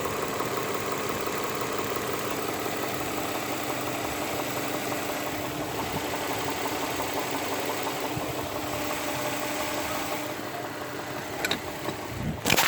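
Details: Infiniti with VQ35DE petrol V6 idling: fast, even tapping knock riding over the run; cause not clear by ear.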